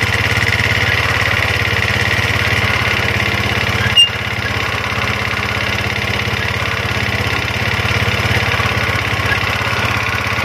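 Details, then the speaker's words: Yamaha Mio automatic scooter after repairing a dragging, stiff rear wheel: steady even putter at fast idle, no drag, rub or scraping; running well. "sudah mantap sudah Mantap ya"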